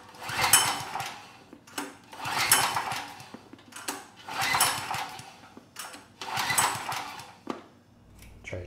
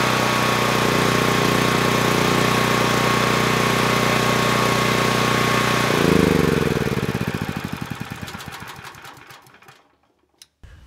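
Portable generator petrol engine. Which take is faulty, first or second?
first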